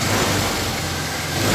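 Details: Vario Techno scooter after a battery was fitted; the electric starter and electrical system were not working, but the engine gives a steady, even buzz with no misses or knocks. Normal running.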